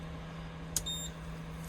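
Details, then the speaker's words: 3,000 W inverter wired straight to a Sprinter van's starter battery, running a Nespresso machine: a single short high-pitched beep over a steady hum warning that van battery voltage is dropping; it cuts out at low voltage. "um and that inverter quite happily runs that Nespresso machine hear it beeping there now that it f in because the voltage is dropping on the van"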